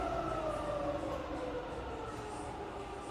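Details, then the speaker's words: Fully rebuilt Bridgeport milling machine, spindle in reverse up to 2500 RPM then slowing toward 1100 RPM, quill engaged: smooth clean whine falling evenly in pitch, no rumble, knock or grinding; normal spindle running. "Okay, reverse now. Just as quiet in reverse. All the way up to 2500."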